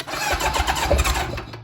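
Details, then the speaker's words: Engine-swapped Kawasaki KZ1000 police bike, first start in many years, on choke, after fixing the spark (corroded pickup coils) and carb issues: brief starter churn, then a clean catch and uneven rev before settling. No smoke. "yeah you heard it run see it's not too bad just went through all that gas"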